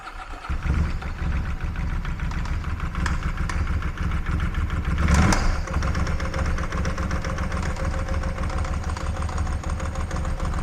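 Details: Ducati 748 brought in not running, first start on 3 L fresh fuel: catches and settles into rough idle with heavy horrible clonking noise; debris found in the oil makes a main bearing problem suspected, not confirmed.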